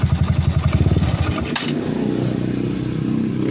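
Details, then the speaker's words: Yamaha Mio scooter engine at idle; fast rhythmic metallic knock pulsing over the idle; connecting rod small-end (piston pin) knock. "tapos ngayon magpapabigat na siya pero parang may tunog na ang kanyang makina so tingnan natin mga kapul yan parang may tunog"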